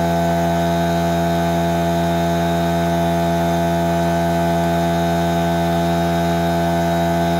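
Constant droning hum at a fixed pitch with a steady mechanical beat and no knocks or squeals; the compressor is pumping up normally.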